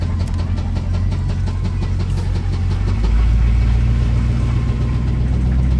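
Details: 1985 Chevy Silverado, driving: steady tapping about four per second following the revs over deep engine drone and road rumble; engine knock.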